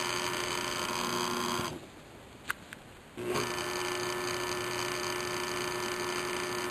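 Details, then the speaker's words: Newly installed 1 horsepower water-sensing Wayne sump pump on 3/8-inch discharge pipe; steady even electric hum that cuts out briefly then resumes smoothly, no rattle or grinding, starts without much torque spin: normal running. "I'm glad when it starts up it doesn't torque too much and spin. I was concerned if it stir up too much gravel."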